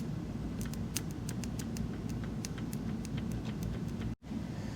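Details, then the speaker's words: 1976 Honda CB550 chopper parked 48 years, spark plugs out, starter jumped directly from a battery: quick light clicks every fraction of a second with no cranking; battery too flat, starter works once a jump box is connected. "So the easy thing to do is make sure your battery has enough juice."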